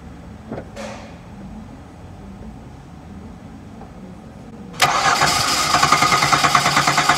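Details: 2013 Hyundai Santa Fe V6 crank-no-start during test-light checks of the fuel pump circuit: steady starter cranking about three thumps a second that never fires. Diagnosis: failed fuel pump.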